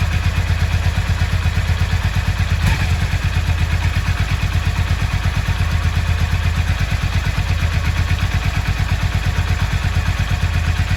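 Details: Yamaha XV 535 Virago V-twin, laid up about 10 years, on its last start attempt: steady even beat with no misses or knocks, keeps running; runs properly.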